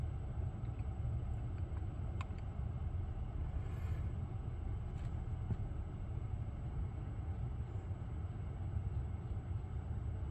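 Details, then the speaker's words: Lucid electric car after a logo reset cleared a buzzing noise that switching profiles didn't fix, cause unknown: only steady low road rumble while driving, no buzz or whine; car sounds quiet and healthy. "So far so good. Yep, the noise went away. I have no idea why it came."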